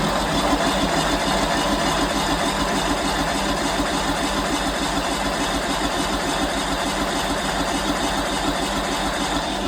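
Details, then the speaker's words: Simplicity lawn tractor, first start of spring after winter stored in a shed, parking brake set, full choke: ten seconds of steady, even cranking at about three turns a second that never catches while the fuel pump pulls fuel through dry lines into the engine; hard starting from dry fuel lines. "and the fuel pump is up here and it's got to pull fuel all the way through those dry lines into the engine so it's going to take a while to start"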